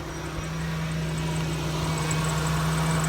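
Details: 2012 Dodge Caravan just restarted after a radiator replacement for overheating: a steady low idle hum with constant pitch and no knocks, ticks or misses; normal idle.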